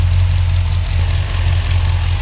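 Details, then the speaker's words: K5 Blazer started after the wiring was redone. Deep, steady rumble with an even beat and no misses or knocks; the engine idles smoothly. "So, here goes now. Okay, it's started and it's running."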